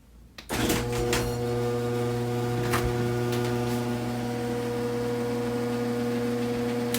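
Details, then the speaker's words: Screw-drive garage door opener after lubricating rollers, brackets and screw with white lithium grease: steady smooth motor hum with faint even drone, no rattling or scraping; was a loud racket before, now almost silent. "i can't tell you what a major difference that made that made the garage door almost silent super super quiet it was a loud racket before"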